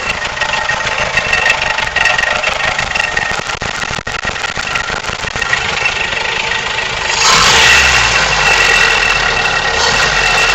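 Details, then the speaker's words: 3TC engine at idle: a steady, fast, fairly even metallic rattle over the idle that grows louder near the end; owner suspects the timing chain, but the source is unconfirmed. "trying to figure out what this sound is. I don't know. It sounds like a timing chain."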